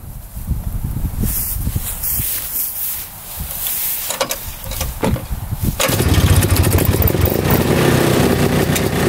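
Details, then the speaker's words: 1960s Ski Daddler vintage snowmobile two-stroke restarting after a short drive: some clatter as it catches, then a steady, even buzz running great; drive teeth are worn. "we got it running great there's moving a little bit engine sounds"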